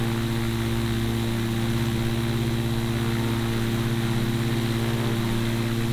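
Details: Newly built gyrocopter with Duke Flash 2 three-blade prop, first running test: steady, even engine and propeller drone with constant low beat, no misses or knocks; healthy first run.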